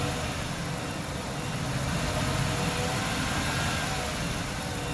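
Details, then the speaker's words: Workhorse W22/W24 chassis 8.1 Vortec with an aftermarket fan clutch, warming at 137 degrees: steady, even idle with no fan roar, fan barely turning, clutch disengaged as expected; it only locked up near 225 degrees. "so at 137 degrees it's like the fans barely turning which i guess would be normal"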